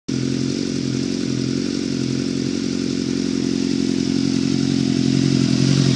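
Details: Suzuki GSX-R engine running: a rough, fairly regular knock, about three to four a second, rides over a low engine rumble that builds slightly in level; cause unclear.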